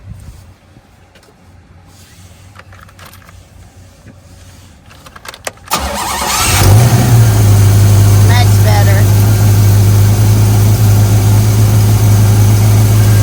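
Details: 1977 Pontiac Trans Am 4-speed, after fixing a backed-off rocker arm nut that caused carburetor backfiring and missing: quiet, then cranks, catches and settles into a smooth, even low idle with no popping or missing.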